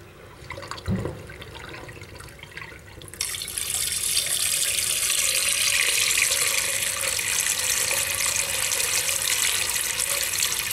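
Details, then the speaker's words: Newly cleaned shop floor drain with slight fall, water poured in: a steady hiss of running water holds even with no gurgle or backing up. Drain flowing freely. "Well, did it run out? It is running out."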